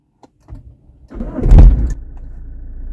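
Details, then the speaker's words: Car started by push button; a heavy shudder and thump as the engine fires, then a steady low idle. Rough engine vibration and noise at start-up, with a faulty engine mount suspected but not confirmed. "Push button जब चालू करूंगा तभी ये आवाज़ आएगा तो आप ध्यान से suniyega प्लीज"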